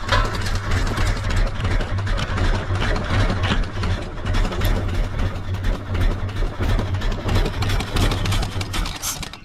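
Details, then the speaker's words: 1974 Ford F100, wrecked and parked several years, first start with fuel poured into carburetor bowl via vent tubes: uneven, surging half-idle barely staying lit; rough idle, fuel leaking from filter and apparently bowl gasket. "Okay, so it's kind of half idling. I'm dumping fuel everywhere."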